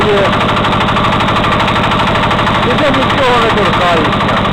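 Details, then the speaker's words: Walk-behind tractor single-cylinder engine at idle, after a loose crankshaft counterweight was retightened and with valve clearances normal: a hard, even knock about 2.5 a second that once faded on the road and then came back, cause unknown. "Зараз я попробую завести, почуйте, я скажу, може хто що подскаже. Такий стук, як заводу. Що воно може бути, я не знаю."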